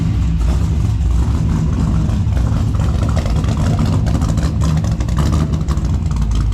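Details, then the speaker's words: Freshly installed 6.0 LS V8 with a new flex plate, running on a base tune: loud, choppy, stumbling beat as it revs and settles. Rough running; the spark plugs were found badly fouled. "now I just pulled the plugs on them and they were fou pretty pretty bad but I mean it's running pretty terrible right now and it's also on a base tune that just ran for the f"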